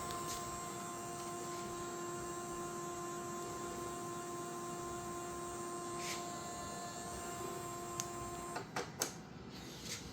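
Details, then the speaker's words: Creality CFS filament feeder, unit not recognized: steady thin motor whine for about eight seconds as the feed wheel spins but never grabs the filament; owner suspects something holding it inside. "I hear the noise, but it's not grabbing the stuff. Something is holding the cable in it."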